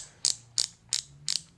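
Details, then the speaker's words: Pittsburg Pro thumbwheel hand ratchet after lubrication: crisp, even bursts of light clicks about three times a second with each swing, now quieter and smoother, no longer machine-gun-like; ball still suspected seized. "alright sounds a lot better and it's definitely a lot smoother it's not such a machine gun"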